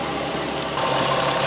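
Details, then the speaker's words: 2001 VW Jetta GLX 2.8L VR6 being revved: light, fast, uneven rattle on top of the running note from intake manifold change-over valve (shift rod) in upper plenum. "I want you to hear noise here as if you have this kind of problem which is a very common problem on the bo6 engines this is the tool 2.8 liter engine"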